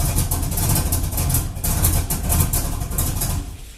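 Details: 2000 Chevrolet F-body Camaro, junkyard 5.3 LS turbo, 1000cc injectors, on jump box: catches and runs lumpy and uneven a few seconds then dies; running very rich, about 8.17 AFR; transmission line leaking.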